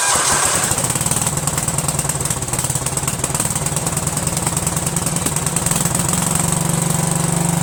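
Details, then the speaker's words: Cub Cadet lawn tractor, Kohler Command CH13 13 hp horizontal-shaft engine: long cranking without catching after fresh gas, waiting for fuel to be drawn up; runs rough from crimped fuel line and bad carburetor gaskets causing air leak. "I hope it starts it's gonna crank a while because it needs time for the gas that we sucked up you know"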